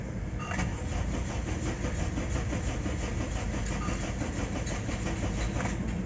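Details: Third-generation Honda CR-V with no fault codes: starter churns steadily for about six seconds in an even rhythm but the engine never fires; crank no start.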